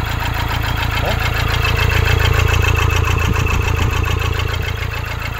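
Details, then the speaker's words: 2013 Toyota Hilux 1KD diesel, 171 hp, showing injector communication and rail pressure faults after a wash: with the number 4 injector disconnected it still starts, giving a heavy, lumpy three-cylinder idle a little over two beats per second. Injector 4 is faulty. "desliguei o quarto bico o carro pegou vento então a princípio a gente tem um injetor até agora com defeito"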